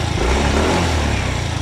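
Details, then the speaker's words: Mio i 125S scooter idling after valve clearance reset to spec (was noisy when loosened): steady, even idle with no top-end tapping, quiet again — normal idle. "Kita nyo naman mga karancho, tahimik na ulit. Binalik ko na siya sa tama niya valve clearance."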